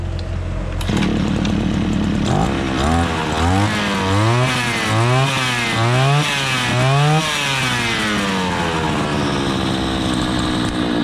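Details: Tramontina RC 33 MTD 33cc two-stroke brush cutter, engine had seized from adulterated gasoline, now reassembled: fires up, revs rise and fall cleanly several times with a crisp, even buzz; runs healthy.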